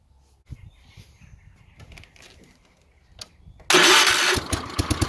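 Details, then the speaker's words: 1970s Wheel Horse C121 8-speed garden tractor, Kohler engine, electric fuel pump just rewired and buzzing, points untested: engine catches after cranking and runs loud, then lumpy and pulsing as it begins settling; starting, idle not yet settled. "Ooh, sounds like it's going to go. satisfying, isn't it? So she's nearly there, isn't she?"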